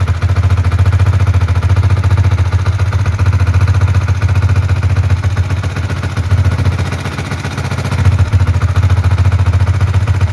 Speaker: Oke jadi suaranya itu suara ngeceknya itu kemleeteknya itu di kalau saya dengarkan ini tadi suara dari head dari silinder head ya dari kop